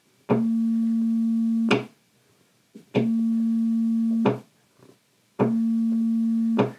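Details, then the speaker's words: EHX LPB-1 Linear Power Booster pedal test: 220 Hz tone into a lab amp, coupling capacitor charged to about 8.2 V from an old battery; each switch gives a sharp pop over the steady tone, switching pop from charged coupling capacitor. "you should see now that we've got about 8.2 volts on there so now we'll get a very clearly audible pop when we"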